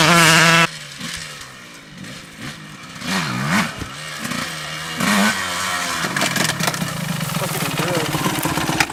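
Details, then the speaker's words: Stock-motor 2002 Honda CR125 two-stroke dirt bike, first ride after purchase, with a badly stretched chain: revs rise and fall cleanly as it rides past, with no misfire or bogging. The motor runs well and pulls hard. "How'd that sound? Pretty good. Yeah. It's running alright."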